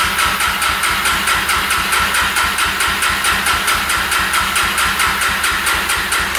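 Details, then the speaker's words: 2005 Yamaha TTR250 single-cylinder after sitting, second start attempt with gas now reaching the carb despite a clogged petcock: turns over in steady chuffs, about two a second, never catches; owner suspects a gummed-up carb and fuel delivery problem. "all right cylinder's all lubed up so we've got spark it must be a fuel delivery problem so comes the carb next"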